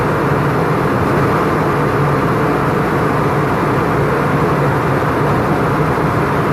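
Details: Isuzu FEZ280 six-cylinder diesel truck after its temperature clutch fan was refilled with oil; steady, even idle under a strong, constant fan roar, no knocks or surging, clutch fan pulling well; normal idle with fan engaged.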